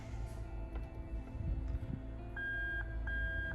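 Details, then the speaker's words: Lexus 1UZ-FE VVT-i engine harness adapted to an IS200 with manual gearbox, reverse switch connector bridged: steady high beeps about two a second, reverse light switch wiring working from connector to cabin. "There you go. You can hear that beeping over there. So fantastic. So I know all the wiring for the reverse light switch is perfect from the connector all the way inside the vehicle."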